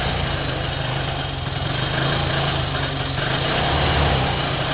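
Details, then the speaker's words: Carbureted 125cc Chinese budget commuter motorcycle, cold on choke after sitting about a week: lumpy, uneven idle with wavering beat that sags and recovers, nearly stalling; owner suspects fuel needs to start flowing; rough running on choke. "Oh, it looks like it wants to die. All right, I'm gonna keep it on the choke for a little bit because we want it to die without the choke."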